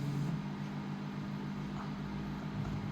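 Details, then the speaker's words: Imranic TX110A DSP remote kit: steady low electrical hum when a canner is used, a ground hum stopped by adding a ground wire. "கேனர் use பண்ணோம்னா இந்த round humming வருது."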